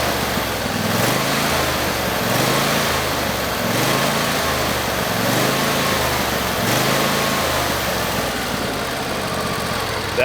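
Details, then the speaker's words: Husqvarna YTH22V46XLS yard tractor, Briggs & Stratton Endurance V-twin, about 181 hours, stored under a tarp in winter: idle rises and falls in a steady wave every 1.5 seconds; engine surging at idle, fuel-system fix. "what I was getting was a surging it was going high and low idle"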